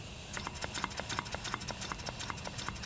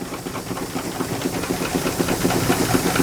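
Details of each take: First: Miniature brass steam engine run slowly: crisp, evenly spaced exhaust puffs about three per second like a choo-choo train, no knocking; good running motor, normal exhaust chuff. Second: Miniature space-saver steam engine running on steam: quick, fairly regular clicking about four per second over steam hiss as a bolt wobbles itself out with each stroke; loose bolt knock.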